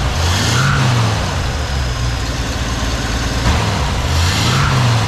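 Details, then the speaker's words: 1968 Jeep J2000 Gladiator, first start after new carburetor fitted: steady low engine rumble with gentle rev swells, even and smooth, no misses or knocks; runs great, though owner suspects water pump going out. "sure does run good huh runs great"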